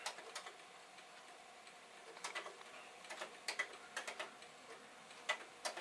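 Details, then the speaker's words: Yellowed, dirty Commodore 1541 floppy drive reformatting a test disk: quiet, irregular light head-stepping ticks over a faint motor hum, normal formatting; the drive is doing fine. "so now my test disk is being formatted"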